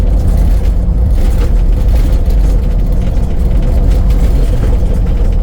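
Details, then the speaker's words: Toyota Land Cruiser 100 series, about 200,000 miles, front Active Height Control hydraulic spheres burst (nitrogen gas bubble gone), front suspension collapsed; driving, especially in the first 10 minutes: heavy low road rumble, rattling, hard crashy thumps over bumps. "The suspension right now, it's not bone shaking, but the first 10 minutes when you turn on the car, it's really quite rattling. I mean, you can hear it here. It is not the usual silent. It is very loud and very bouncy."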